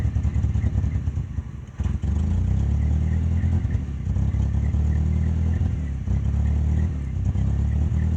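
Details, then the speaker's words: 1994 Dodge Ram, about 90,000 original miles, sitting six months, taped spark plug wires: low steady idle rises and sags as throttle is fed slowly, stumbling and dipping when pushed quickly; owner suspects the carburetor, possibly the fuel pump. "i'll show you guys when you rush the motor like it die down like a carburetor"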